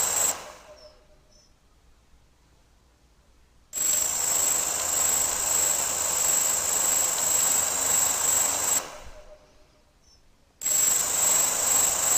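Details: Gaui 330X quadcopter motors spin up in bursts with a high, hissy whine and a strange, uneven clicking underneath; cause not confirmed.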